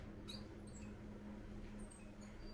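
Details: KDK V56VK electric fan, about 7–8 years old, speed control broken from faulty electronic board: thin irregular mouse-like chirps over a steady fan hum; technician says the motor is broken: squeaking motor bearing.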